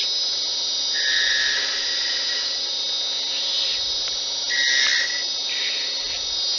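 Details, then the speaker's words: Smooth continuous cut on a wood lathe turning small snowmen with a skew chisel: steady high-pitched hiss with no clicking, meaning the stock is now a true cylinder. Clicking means it is not yet round. "now if you want to know if you're on if you're a cylinder or not you hear that clicking so we know we're not yet once that's a nice smooth sound we know we're a cylinder"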